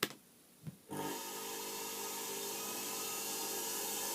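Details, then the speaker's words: Homemade belt grinder motor on TDA1085 speed controller board, tested after switching the board off and on: short quiet spell, then the motor climbs gently to a steady high whir without jolt; soft start works properly. "да плавный пуск работает отлично хорошо"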